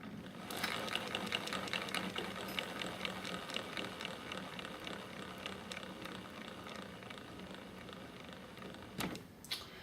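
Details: Trex 600e Pro DFC helicopter, rotor head spun hard by hand and spinning down: faint light ticking and ratcheting; owner suspects front torque tube drive gear assembly, its top/bottom bearings or umbrella gear; plans replacing them.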